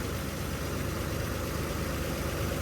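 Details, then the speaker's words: 1981 Chevy C10 square-body ranch truck idling in the yard after new spark plugs, about 2 gallons of gas in tank: steady, even, smooth idle with no stumbles; owner thinks it sounds like plug wires don't need changing. "And sounds like I don't need to change my wires. Man, that's cool, man. I'm pretty happy about that."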